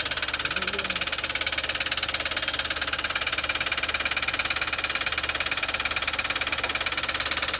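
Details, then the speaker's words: Toyota Wigo that swallowed water through its air cleaner: sharp, evenly spaced metallic knock about twice a second over a quiet idle, from a connecting rod bent by the water; oil added to the combustion chamber against rust. "Bumalukkot na. Bumalukkot dahil sa tubig."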